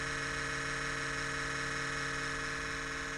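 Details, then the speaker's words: Cooling/exhaust fan on cold start at 37 degrees: constant loud high-pitched gritty buzz at steady speed, occurring at about 60 degrees or colder and going away after about one minute, then normal. "gonna make this loud racket for about one full minute it's because it's cold 37 degrees but it does this noise at 60 degrees or colder around 60 degrees"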